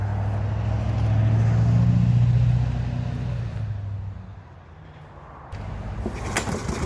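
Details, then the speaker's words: Dumpster-found Toro Recycler 21 mower with Kohler engine, pull-started with a rope because the cord was missing and the oil cap was absent. It runs at a steady even beat, dips and recovers; salvageable, though the owner suspects overheating. "There's a lot that needs to be done on this mower, but it's salvageable."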